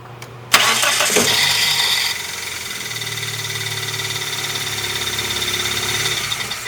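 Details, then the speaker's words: 1998 Dodge Neon 2.0 I4, 5-speed manual. The engine catches, then a high screaming grinding zing lasts about a second before idle. The starter drive is hanging up and not disengaging; the pinion teeth were found shaved and the starter was removed. "So, that is the starter drive hanging up, not wanting to come out."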